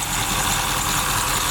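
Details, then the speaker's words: Supercharged Oldsmobile Cutlass idling while warming up after shop repairs, coolant being topped off, temperature just starting to rise, thermostat now open; steady even idle with faint supercharger whine, no knocks or misses; normal idle. "I hear the supercharger too. It was some problem. Yeah, it's open, thermostat open now."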